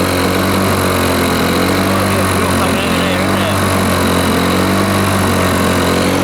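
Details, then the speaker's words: Lawn Boy 4651 two-stroke mower running without air filter: steady fairly high slightly hollow buzz; sounded a little lean from too much air with no intake resistance. "they got too much air so I think that was the case running it without the earth rotate sounded a little bit lean in my opinion"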